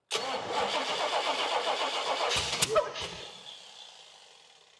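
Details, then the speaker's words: 1979 Pontiac Trans Am with a rebuilt engine never seen running, first fire attempt: fast uneven cranking about four a second, catching and popping irregularly, then dying. Suspected distributor timing and firing order errors. "Yeah. Something just don't sound right. Yeah, feels like fire and order, but it could be timing."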